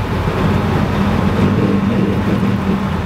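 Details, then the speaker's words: UAZ Hunter coasting above 70 km/h, aftermarket rear driveshaft under a year old: deep, uneven droning rumble under road noise; considerable spline play in the rear driveshaft, replaced under warranty. "Не прошло и года, как на скоростях за 70 снова послышался привычный рокот в накате."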